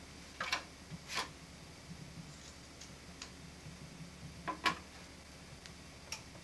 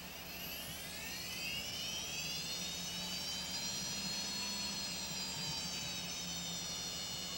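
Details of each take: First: Maxtor 20 GB old hard drive powered up: quiet steady hum with faint irregular ticks and sharper clicks about every second. Drive described as heavily worn. Hard drive clicking. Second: Quantum SCSI hard drive spin-up, not recommended for a quiet PC: a high whine climbs, then settles into a steady piercing tone over a soft hum. Loud but normal spin-up whine.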